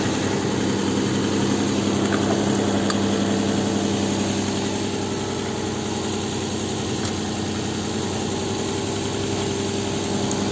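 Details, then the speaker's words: Nissan engine after a no-start fix: steady, even idle with a smooth low hum and no stumble, tick or miss; running smooth. "It's running pretty smooth. For a Nissan."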